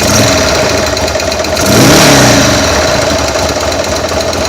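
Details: 2000 Buell M2 Cyclone V-twin just after a stator change and shifter adjustment, oil a little low: uneven knocking over a lumpy idle that rises briefly with a throttle blip. Owner suspects a sticky or stuck lifter, unconfirmed.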